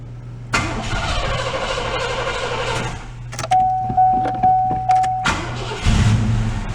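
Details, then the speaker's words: 1986 Oldsmobile Cutlass Supreme Brougham V8, carbureted, first start after sitting five years: starter whirs, engine catches and settles into a steady, even, quiet idle with a few chirps, no smoke seen; sounds pretty good, normal start and idle. "sounds pretty good that's making me feel better about my purchase"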